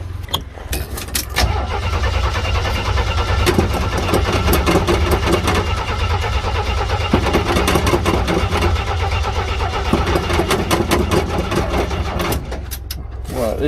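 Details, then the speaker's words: Jeep CJ with a 258 4.2L engine and an aftermarket carburetor, started after sitting about a month: long, uneven cranking with weak firing and no catch; owner suspects fuel siphoning back to the tank (losing prime) and a weak battery. "i must be losing prime well this is going to be electric fuel pump now that's what i'm doing and i guess i need new battery"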